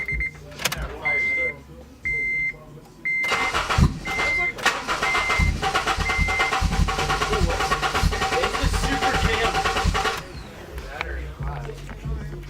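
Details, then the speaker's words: Honda with a new Hondata tune and the battery relocated to the trunk: warning chimes, then about seven seconds of steady starter cranking with no catch. It cranks but won't start; it later started after being given some gas. "Hey, it won't start. Give it a little gas."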